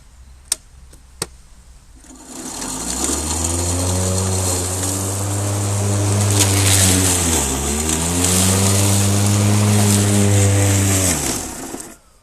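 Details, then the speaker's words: Husqvarna LC551iv battery mower after clearing grass from chute in hard long grass: motor spins up to buzzing hum with wavering tone dipping briefly mid-run; unexplained blade drive noise, owner suspects a safety clutch, red light then flashes. "I don't know what that noise is then. Maybe there's a safety clutch on it."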